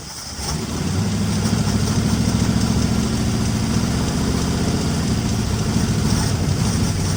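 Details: 1961 Mercury Meteor, 37,000 miles, parked 43 years, with a seized water pump: engine catches into an uneven, lumpy idle about three beats a second, blowing oil from the open fuel-pump hole; rough running.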